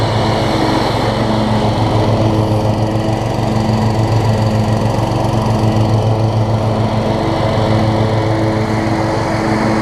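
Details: Toro Z5000 Kohler Courage engine after the tight intake valve was adjusted and the choke set: a steady, even single-cylinder drone holding constant speed with no misses or knocks. Runs great; slight smoke, owner suspects oil overfill or muffler oil buildup.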